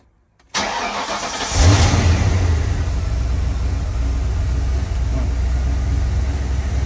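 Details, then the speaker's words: 1994 Ford Mustang GT 5.0 after installing a new idle air controller to cure rev hang: starter whirs, engine catches and settles into a steady idle around 850–900 rpm with no hunting or stumble. "Give a quick test of see if it's going to rev hang here at the very beginning. Idle is now around 850, 900."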